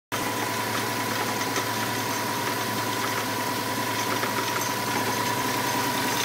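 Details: 2005 Subaru WRX at idle: faint, constant high-pitched tone riding above the engine, noise appeared one morning, a shop couldn't identify it; abnormal engine noise, cause unknown.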